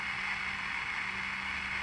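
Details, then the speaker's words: Philco T66 pocket radio, after alignment: steady, even hiss with no rhythm fills the gap between stations, possibly from a noisy transistor in the radio. "Might have a noisy transistor in it. Hear that noise?"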